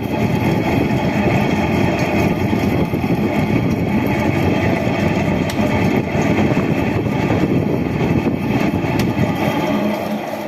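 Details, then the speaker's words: Window AC fan motor switched on; constant rough grinding whir with a gritty drone, loud because the motor bearings are worn, cooling otherwise fine; motor then opened for bearing change. "कि यह कि motor on होते किया लेकर account बहुत देर है क्योंकि इसके बैनर खराब हैं आ रखे हैं"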